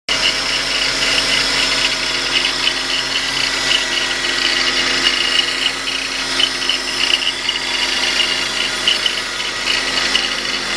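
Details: 2000 BMW 528i at idle: steady high rasping whir with faint chirping flutter, belt-related, fading when revved; cause was a worn idler pulley, fixed by replacing it, both tensioner pulleys, belts and water pump.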